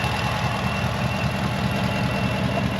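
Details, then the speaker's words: New Ford F-150 with the 5.0 Coyote V8 at a steady, even normal idle. A faint light ticking on top is the cam phasers, described as the trademark of this engine, nothing wrong. "And you can hear the the cam phasers going. That's the trademark of this engine."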